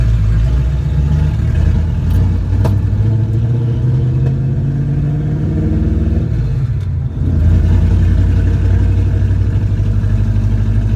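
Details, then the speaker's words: 1967 Plymouth Valiant with old, possibly fouled spark plugs and unreplaced wires: engine revs unevenly with stumbling, popping beat, hesitating, misfiring and sputtering badly under acceleration, before planned replacement of the plugs with iridium ones and of the wires. "it's really bad right now"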